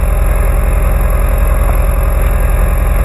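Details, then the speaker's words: Audi TT Mk1, low mileage, lumpy heavy uneven idle with engine shaking, firing on three cylinders; unplugging coils finds the dead cylinder, and swapping the coil pack makes it run much better, pointing to a faulty coil pack. "the engine is really rough it's only firing on three cylinders"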